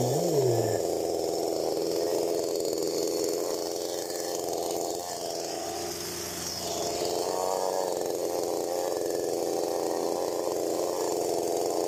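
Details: STIHL MS 192T chainsaw after primer fix, before carb adjustment: fast steady two-stroke buzz never settling to low idle, brief dip; idle too high with chain spinning, fixed by adjusting high, low and idle.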